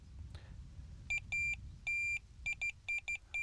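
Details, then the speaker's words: Tx-i Plus bite alarm on minus setting, sensitivity turned down to about 2, fluorocarbon mainline: clear high-pitched beeps in short and long bursts on full runs, loud and distinct; normal bite indication at low sensitivity. "see, that's a lot less sensitive there. But I'm getting full-blooded runs here."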